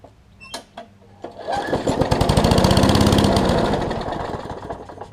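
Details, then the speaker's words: Craftsman push mower with a new right front wheel assembly and a cleaned carburetor, first start after the carb clean: after a couple of pulls it catches and chugs with a slow, even beat that swells then sags. It's idling too slow and needs more throttle. "sounds like it's a little on the low side or the slow side whatever"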